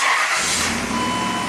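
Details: 2000 Dodge Dakota V8 starting after a cluster wiring repair (no-bus fault, wire soldered to eyelet): brief crank, then it catches at once and settles into a smooth, even run; a clean, healthy start.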